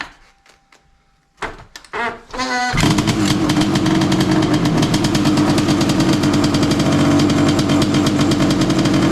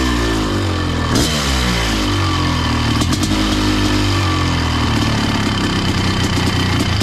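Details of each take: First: Honda CR500 two-stroke Schwinn trike, cold start with choke on after a few kicks: heavy lumpy boggy idle that won't clear, flooded with gas from earlier no-spark start attempts. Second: Honda CR500 two-stroke powered Schwinn trike, 170 main jet: crisp steady buzz with clean throttle blips, no misfire or rattle; clean bill of health, normal running.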